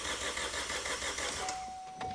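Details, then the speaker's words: Vauxhall Corsa with a replacement engine, wheels off the ground, in neutral, cranked to build oil pressure before starting: steady, even whirring cranking with a regular beat, no knocks or lumpy whooping; sounds healthy turning over, normal cranking. "I mean, it sounds healthy turning over, which is a good sign. It's not going whoop, whoop, whoop, No."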